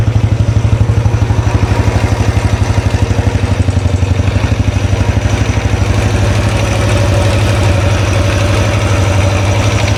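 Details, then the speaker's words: 2013 Royal Enfield Classic 500, first start after engine teardown to find a stray M5x35 bolt: heavy idle thump about three beats a second with a light clatter. Owner unsure whether rockers or pushrods; bike shakes more than before. Suspected top-end ticking. "Hmm, sounds very noisy. Anyone know what that noise is? Is it um rockers, push rods? Something else?"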